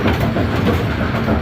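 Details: Bowling pinsetter after correcting pin-detecting link installation and new bell crank, restarted from 90° on a strike: steady low rumble with rhythmic rattling clatter, smooth cycle; waited at 180, healthy.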